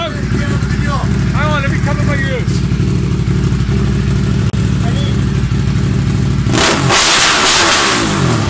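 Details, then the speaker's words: Honda Civic Type R EP3 (2.0) with K&N filter and very loud aftermarket exhaust, driven hard: loud revving with uneven, stumbling beat instead of a clean pulse; bad misfire under load/acceleration. "just got back from drive you all miss an interest in drive to say the least the misfire issue is it's bad when I gotta be honest"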